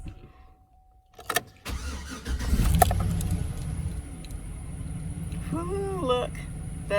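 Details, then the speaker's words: GMC Sierra pickup, about 255,000 miles, P0420/P0430 catalyst codes, crank after battery terminal disconnected 10 minutes to clear codes; starter turns briefly, engine catches at once into steady idle; check engine lights all off; normal start. "light went off they all went off awesome there's no lights on"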